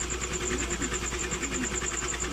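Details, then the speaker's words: Motorcycle engine previously run dry of oil, refilled; earlier ticking now mostly gone after work, screw not yet refitted: even, fast, light pulsing idle with no ticking or knocking over exhaust note; normal idle. "Medyo hindi na siya maingay, di ba? Narinig niyo ba? Pakinggan natin ulit Medyo nawala."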